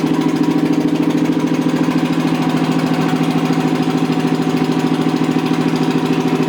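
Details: Rebuilt Toyota 7M-GE engine with hand-dremeled valve seats, test-run out of the car on a dolly without thermostat housing or radiator: a loud idle with a lumpy pulse near 160 a minute. One cylinder may be weak; number 3 was then leak-down tested.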